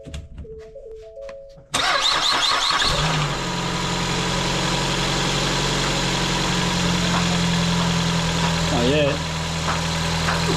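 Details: 2017 Ford Escape, first start of the replacement engine after the original knocked from running out of oil; oil-pressure priming was done first. Starter cranks briefly, the engine catches and settles into a steady, even idle with no knocking: normal start and idle.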